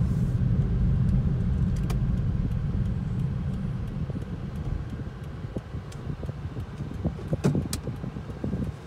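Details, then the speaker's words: 2010 Toyota Prius driving with AC on after loose rear spoiler was fixed, tyres recently replaced: steady low cabin drone with light rattles; cause unconfirmed, later believed a bad wheel bearing pending inspection. "Had their tires replaced. It's like a drone sound. I don't know. It's definitely a droning noise."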